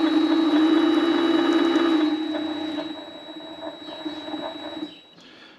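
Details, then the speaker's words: Vevor MX400 mini lathe headstock after replacing idle pulley 608Z bearings: whir with light gear whine from its metal gears, then spins down and stops after about five seconds. "let's turn this on and there's still a little bit of gear noise but"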